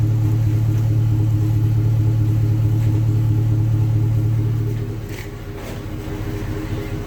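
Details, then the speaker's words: Newly installed Flowmaster aftermarket muffler: deep steady low rumble at idle with an even throaty pulse, easing slightly; healthy engine with muffler growl. "the whole has a growl so let's see if we can hurry a little bit"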